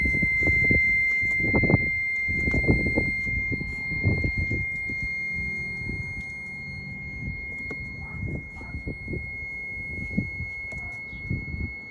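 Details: E46 BMW 330i, stock apart from an air intake: steady high-pitched buzz with low thumps when the brake pedal is pressed, apparently from the brake booster area, also audible under the pedal. It is intermittent, worse in warm weather, and braking is normal.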